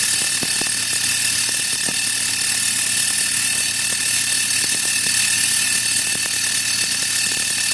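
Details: Saturn engine running: uneven light ticking and rattling, roughly two per second, over a steady engine hum; owner suspects timing chain or a pulley bearing, source unconfirmed.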